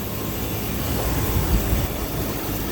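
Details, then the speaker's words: Chevy Impala after engine/transmission reinstall, restarted after fixing an exhaust leak (a nut needed a washer to tighten fully): steady, smooth low idle with no ticking or exhaust puffing, sounding much better; normal idle. "so we are gonna fire it back up again that sounds heck of a lot better"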